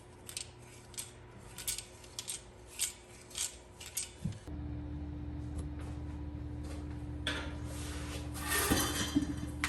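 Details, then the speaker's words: Yamaha R1 clutch removed and handled on the bench: loose metallic clinks and rattles as it moves, from damper springs shrunk inside their shell, causing the customer's neutral-idle rattle with clutch released; harmless, friction and steel plates found burnt. "As we pick up this clutch, I can already sense the issue, the rattle noise that the customer is sensing."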